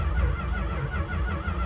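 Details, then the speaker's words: 1964 Chrysler New Yorker, parked just over two years, first crank with a battery fitted: quick, even, strong cranking with no drag or clatter, sounding healthy; it later sputtered but would not start, with the cap and wires suspected. "okay that sounds healthy"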